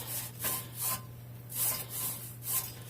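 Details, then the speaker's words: 2006 VW Jetta 2.5L front passenger-side hub, car on jack stands, hub turned by hand: a rough, rasping grind pulsing about twice a second, plus play in the hub; a worn front wheel bearing, before hub replacement. "I thought I'd show you how it was bad I'm not supposed to be any play in it come on it turn it's not supposed to make any noise this one"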